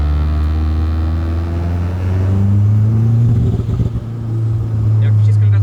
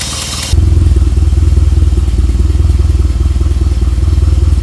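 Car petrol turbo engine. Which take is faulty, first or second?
first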